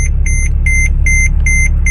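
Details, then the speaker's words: $1400 Mercedes R320 CDI diesel, first start after fitting a new aftermarket serpentine belt to replace a shredded one after the tensioner failed; repeating high chime over diesel idle, brake wear sensor warning on. "and brake wear sensors are on"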